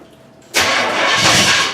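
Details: A 1981 Pontiac Trans Am Turbo Pace Car, sitting for years on six-year-old gas, carb primed, cranks steadily for over a second and briefly tries to catch but doesn't run. Spark was confirmed present; a carb fire followed.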